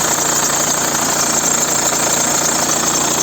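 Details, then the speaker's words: Engine idling with a dry, fast chattering rattle from a worn roller; water poured on the belt tells whether it is an accessory drive belt roller or the timing belt roller. "так вот у нас есть автомобиль услышите как трещит ролик и непонятно какой"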